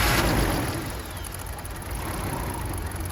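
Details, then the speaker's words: BMW E46 325Ci, M54 engine, idles poorly and dies on throttle; codes P0300, P1343/P1345/P1347, P0444, P0102, P0313; injectors cleaned, plugs replaced. Slow, uneven, wandering idle with the idle air control valve plugged in, same as before; a new IAC improved running. "All right, that ran very slow. Okay, so it ran the same as before, so now we're going to unplug the idle control valve and see if that does anything."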